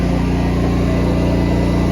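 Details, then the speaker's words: Honda EU11000 generator on natural gas under load test: steady even engine drone with no surging, misses or knocks while carrying the load; generator cruising, running healthy. "Oh boy, that baby's cruising. Cruising, I tell you."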